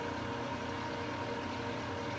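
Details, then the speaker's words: New Precision Matthews PM-1660TL lathe during first-run break-in, at about 130 rpm: smooth, steady hum with slightly more gear whir than lower ranges, no knocks or grinding; normal for higher gears. "i can tell a little bit more gear noise in this range right here which is normal for your higher gears"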